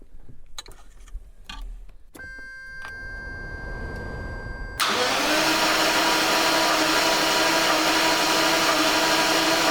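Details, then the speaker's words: 1989 Jaguar XJS V12 that won't run, cranked right after the battery was hooked up: a few clicks, then steady cranking at about three beats a second that never fires. Owner plans to rebuild the ignition amplifier; cause not confirmed. "all right so we've tried to crank the vehicle and we have a no start so we're going to rebuild that ignition amplifier"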